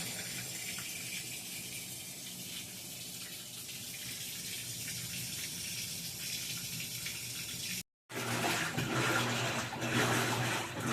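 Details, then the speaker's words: Whirlpool WTW4816FW3 top-load washer bought 2023, control board replaced three times, soaking a small towel load with water below the load after a harsh twist: steady hiss of water pouring into the drum. It finally senses the low level and tops up normally. "Finally detected that it didn't have enough water, and it started adding more water."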